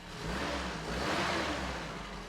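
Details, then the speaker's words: 1993 Toyota pickup 22RE after correcting distributor timing by one tooth: engine catches and settles into steady, even low rumble with no knocks or misses; normal running. "Awesome, it started up. I was getting a little nervous."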